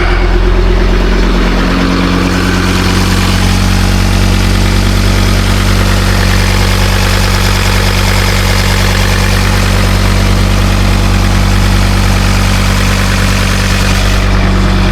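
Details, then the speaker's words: Ford Ranger Wildtrak 3.2 diesel, after replacing a failed turbo gasket: smooth, even idle with a steady deep drone and no hiss, chuff or ticking; much quieter than before. Normal idle. "That is much quieter. Very happy with that."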